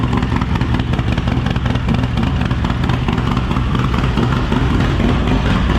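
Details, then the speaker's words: Rebuilt 143ci Harley Lowrider S V-twin with A.P.E CR515 cam, first start after full rebuild, running rich on base map: loud lumpy idle with faint quick lifter ticking as oil pressure bleeds up. "You probably did hear the little bit of lifter noise there as it was still bleeding up oil pressure."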